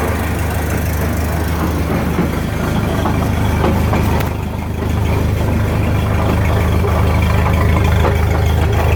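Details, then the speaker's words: 1929 Ford Model A pickup on jacks, running in gear: heavy low rumble with a steady knock about three times a second from the running gear. Transmission, driveshaft or rear end are suspected; owner thinks the rear end and a bad spider gear. "it sure sounds like it's coming from the rear into me pull up under here I'm thinking one of the splatter gears is messed up"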